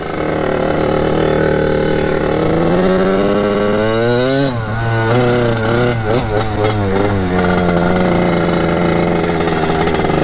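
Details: Kawasaki KX80 two-stroke with KX100 99cc big-bore cylinder, test ride around the yard after new head gasket and shaved head to cure coolant leak; crisp buzz climbs and falls cleanly with each throttle blip, then settles steady, healthy.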